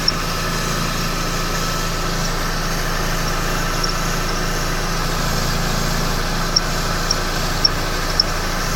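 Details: 2011 Mercedes-Benz E350 idling: smooth idle broken by short sharp high chirps every half second from belt area; belt tensioner seen moving in sync with the squeak, cause unconfirmed.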